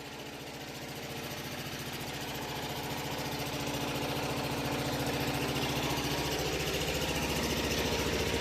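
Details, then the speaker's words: Onan RV generator set fed from a vented tank during a power outage; quiet, unwavering beat at about three and a half pulses a second; RV units are meant to be relatively quiet; normal running. "These RV units are not they're supposed to be relatively quiet, you know. Um which is nice."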